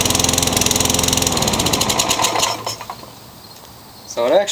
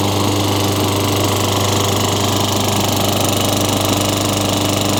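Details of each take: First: Craftsman lawn mower found in the trash: it buzzes fast and steady for two seconds, then slows and dies. Carburetor suspected; a new carburetor was fitted and fixed it. Engine surging and stalling. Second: Craftsman 22-inch mower, Tecumseh 6 hp engine, rain-soaked find with very little oil, after new Champion RJ19 plug: steady even drone holding speed without surging or dying; healthy, no smoke or burning oil.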